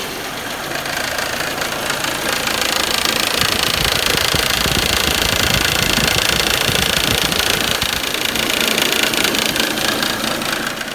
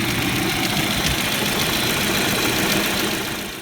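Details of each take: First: Audi/VW 1.8T idling: fast, regular rattle about four per second as a fairly new serpentine belt tensioner shakes excessively because the old belt has stretched; fix is a new belt. Belt tensioner rattle. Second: Audi/VW 1.8T petrol after replacing a stretched serpentine belt that made the tensioner rattle: steady, even hum and hiss, tensioner now solid with no belt-area rattle; normal idle.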